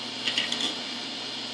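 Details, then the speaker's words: Old Maxtor hard drive running with lid off after its platter was scratched by the case edge, kernel resetting link on frozen error: short cluster of sharp high clicks over faint hum as the read head pings back to start. "When it output that, the hard drive read head made a great poinging noise and kind of scudded back to the start"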